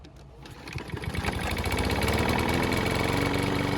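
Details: Mower engine that wouldn't start after winter, likely stale gasoline in the carb, primed with fresh fuel: catches within a second and builds to a fast, even chatter at steady speed; starts and keeps running.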